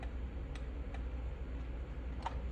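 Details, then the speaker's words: Five-pin automotive relay bench-tested with fused jumper wires from battery to pins 85 and 86: sharp distinct clicks as contacts snap on and off over low hum; normal operation. "right it's a five pin we switch it to five pins plug that one in the test you can hear the relay clicking on and off"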